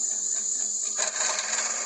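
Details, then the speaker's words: Worcester GB162 100 kW commercial gas boiler in service mode, fan running: thin steady whine then a dry gritty rattle; fan visibly rattling, cause uncertain, suspected fan or possibly gas valve. "so i'm gonna put this boiler in service mode now tell me what you think this noise is any ideas so you can see the fan there rattling away"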